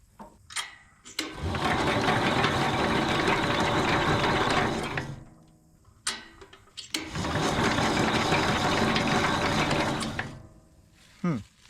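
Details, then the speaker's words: 1968 Jacobsen Super Chief 1000 cranking after its points were cleaned and gapped at 0.020 in; two steady four-second whirring cranks, spinning freely but never firing; no spark at the points or plug, coil being tested. "It cranks over, and it's not stuck, but I cleaned the points and I checked the gap, and the gap is fine. The points don't spark, and obviously the spark plug doesn't spark."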